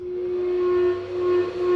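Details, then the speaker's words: 15 hp 3-phase AC motor, no load, 41 A full-load draw, on a soft starter with maximum starting current set to 100%: clean steady hum with one clear tone, no rubbing or knocking, running up smoothly over about a 16-second gradual start. "Now, if I set the maximum starting current to be 100%, which means the motor will never draw more current than its full load amps. The gradual start time is about 16 seconds."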